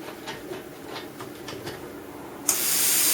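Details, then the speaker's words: Plasma cutter with machine and air on: a few faint clicks, then a sudden loud steady air hiss without the torch button pressed, switching on and off by itself. A break in the torch switch wire is triggering it. "It's got a break in the wire somewhere here. See? It's on again. I haven't touched it. Off again."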